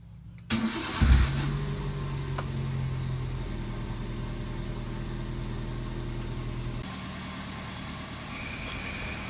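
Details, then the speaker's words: Car battery just replaced, old battery over 2 years in use and suspected to have failed from age, positive cable connected first: brief quick crank, then the engine catches at once and settles into a smooth, steady idle. Normal start. "Oke teman-teman, alhamdulillah mobil kita udah hidup kembali, udah normal."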